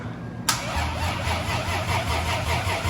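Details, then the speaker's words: Lexus IS300 turbo build with freshly rebuilt engine, first start attempt after almost a year: sluggish, labouring crank with uneven chugs that nearly catch but never fire; battery, possibly charged on wrong settings, is too weak. "Come on, baby. Come on. Ooh, it was close. Yeah, that battery's just smoked, dude."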